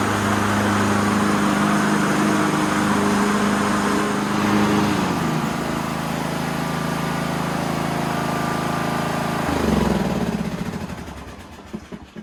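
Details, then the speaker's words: Craftsman LT2000 riding mower, started after sitting about a week and a half: small single-cylinder engine runs smooth and steady with an even beat, no grinding or knocks, then winds down at shutoff; normal running, likely low hours. "Well, that sounds awesome. No grinding, no noises. I really don't think there's a lot of time on this mower."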